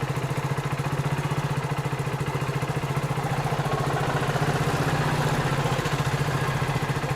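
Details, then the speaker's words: Hero Splendor BS6 bike just after a cold start, temperature-sensor automatic choke raising idle to about 1739 rpm on the OBD live data: steady, even single-cylinder putter with no misses or knocks; normal cold-start fast idle. "अभी RPM 1739 है और यहां पर हमने इधर से second चालू कर दिया है अभी आरपीएम ज्यादा है"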